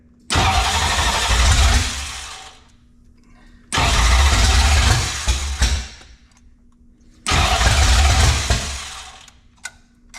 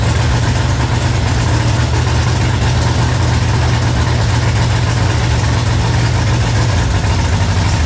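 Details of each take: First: Ford 5.0 302 roller engine in a 1966 Mustang, first start: three cranks of about two seconds each, engine turns over sluggishly and won't catch; slow cranking, ignition timing or ignition not staying hot off starter suspected. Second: 1966 Mustang with a 5.0 302 roller V8, first start after cranking trouble: deep, steady low rumble at an even idle with no misses, ticks or knocks; the V8 runs smoothly.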